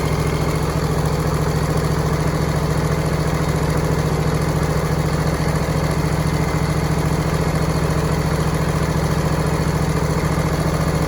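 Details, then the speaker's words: John Deere and Suzuki Frankenstein outboard, running in test tank after snapping into gear; steady even beat slightly fast for idle, no misfire; idle set too high, owner plans governor/idle spring adjustment. "There's some other tweaking I want to do yet, which is it's idle a little higher than I want it to be."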